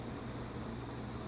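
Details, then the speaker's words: Total Energy Systems Strato-Fan 36-inch industrial ceiling fan drawing 0.61 A and 66 W runs with a soft, even airy hum; its earlier noise has stopped and it is now silent and healthy. "Now it's silent. Now it's not making no more noise."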